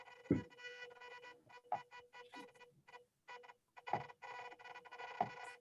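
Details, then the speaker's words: Lawn tractor robot steering motor driven by PWM at 500 Hz: a steady squeal cutting in and out as the motor moves, audible PWM whine. "you're doing this real time yeah you can hear the motor still squealing"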